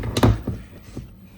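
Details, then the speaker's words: 2026 Tesla Model Y upper door panel: dull hollow plastic thumps, three or four in quick succession, as trim panel clips knock against the door's structural metal over bumps; fixed by adding foam tape at the contact points. "This is kind of like the structure part of the door, okay? So, it's hitting it's hitting here. That's the noise."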